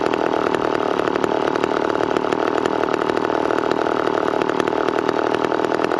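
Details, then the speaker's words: McCulloch Pro 10-10 Automatic chainsaw while cutting cookies off logs: fast, busy, even two-stroke buzz that never drops to a slow idle; idling too high, otherwise tuned well and oiling heavily. "a little bit the idle is pretty high"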